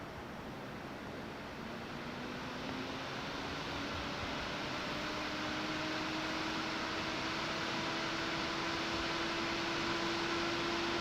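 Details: Silverstone XED120S CPU air cooler on a Ryzen 9 9950X3D in an FLP02 retro tower: airy fan rush and hum climbing slowly in pitch as the fan spins up toward full speed under heavy processor load.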